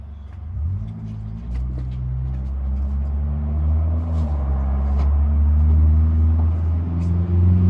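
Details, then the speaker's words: 1998 GMC Sierra SLE after a no-start caused by an internally corroded positive battery terminal and weak battery, fixed with a new battery; catches into a smooth, steady low rumble with no misses. Normal start and idle. "let's have a listen to the starter and see if it starts right up or if it screws up"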